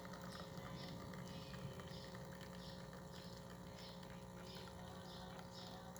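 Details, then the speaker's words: DeLonghi La Specialista after a full service that fixed its grinder: a constant low pump buzz holds steady as pressure builds on the gauge for a test shot, with no stutter; normal pump operation. "try pumping water through and you're gonna see the gauge start to slowly go up when pressure is built"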